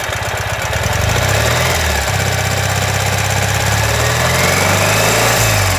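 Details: 2015 Ural Ranger: rough idle with heavy, uneven low-end knock every turn; caused by collapsed front crankshaft main bearing.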